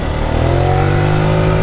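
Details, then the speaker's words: 2020 Tao Tao 50cc GY6 scooter revs up but sounds choked and flat, cutting in and out and bogging hard under throttle; compression good, everything else cleaned, mixture suspected off from a vacuum-related problem, not confirmed. "But it chokes. It's bogging real hard. So this is actually a good video. How to detect vacuum drive problems."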